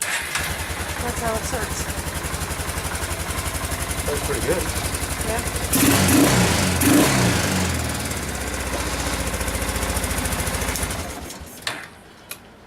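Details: 1995 Kawasaki Bayou 400 after long storage, fresh oil, filter, DPR8EA-9 plug and fresh gas: single-cylinder thump steady about four beats a second, picks up cleanly on a throttle blip then settles; engine healthy; normal running.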